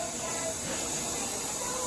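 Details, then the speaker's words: Brand-new Famiworths single-serve coffee maker set to 10 oz: steady airy steam hiss and ticking with no gurgle or water pumping. Nothing comes out, then it blinks and shuts off. Steam hiss with no water flow, cause unknown. "look at it nothing's coming out but see it's going to Blink and cut off"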